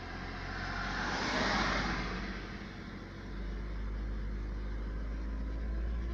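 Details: Running engine with an uneven tapping knock riding over the rumble at 1900 rpm and above as it revs and settles; the cause of the knock is unknown.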